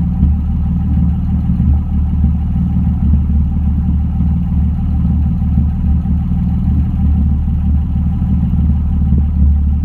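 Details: BMW M3 at idle: deep, steady idle with a faint uneven lope and occasional stumbles every couple of seconds; idle not quite smooth, cause unclear.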